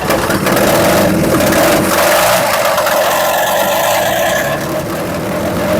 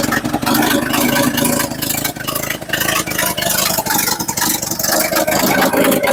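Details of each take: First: 1963/64 Chevrolet C10 step side, warm enough with choke open, idling: loud rough idle with fast uneven chuffing about four per second; suspected exhaust leak. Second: Bought sight-unseen 1963/1964 Chevy C10 stepside six, choke at half (possibly warm): settles into a steady self-sustaining idle, loud and raspy from a leaky, cheese-like exhaust; normal idle.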